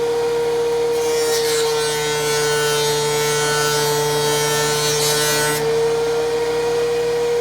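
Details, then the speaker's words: DeWalt 735 planer after chip-ejector impeller repair, one pass on maple: steady high motor hum then a rough hiss of cutting, much quieter than before the repair; normal cutting pass. "you can see the machine's running good again um it's much quieter than it was before the repair"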